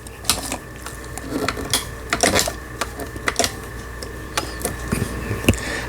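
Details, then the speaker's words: Lion Mising "Jelly" small sewing machine, after repair (it had stopped dead while sewing with jeans thread and would not stitch): steady, evenly spaced needle clicks over a soft motor hum, no knocking or grinding; internals repaired, upper tension adjusted, stitching normally. "소리도 아주 좋네요. 이렇게 보시면 이렇게 박음질 때는 모양을 보실 수가 있습니다."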